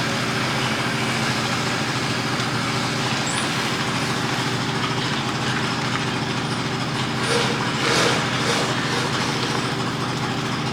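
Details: Mazda RX-8 rotary, hard cranking with no start: starter turns the engine over steadily for several seconds without firing. Throttle while cranking changes the tone and bogs it; owner suspects it needs plugs or isn't getting enough fuel.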